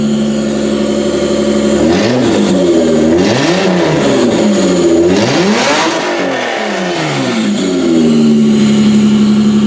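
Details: 1992–1996 Toyota Camry V6 running on a homemade standalone wiring harness with air intake fitted: catches and revs up and down smoothly several times, then settles to an even idle; running healthy.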